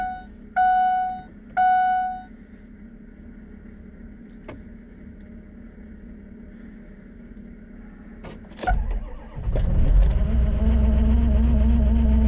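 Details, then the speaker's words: Ford Excursion 6.0L diesel, cold start after key-on engine-off glow wait: warning chimes, quick crank and catch, then uneven lumpy rough idle until warmed up; older injectors may suffer stiction (sticky valve), not confirmed. "that fired right up but you can hear that it's kind of a rough idle so these things will do that until they uh get warmed up a lot of the time"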